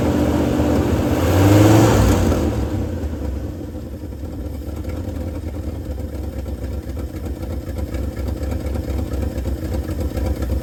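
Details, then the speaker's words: 1971 Ford F250 running after 9 years sitting: the V8 idles unevenly with a rough puffing pulse about twice a second under the rumble. Known exhaust leak, location already found; oil pressure 50–55. "Sounds like it's working to me. We do have an exhaust leak. We already know where it's at. Let's fix that."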